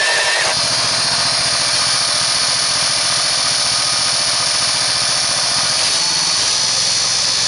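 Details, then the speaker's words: Engine with a 3-inch pulley driving a 2-inch PMA pulley, at about 1100 RPM and 14.9 volts: a fast, steady, buzzy note with an even beat and no vibration. The new noise is believed to be a loose key. "that new noise in the engine I believe is just the key I don't have it down tight notice there's no vibration"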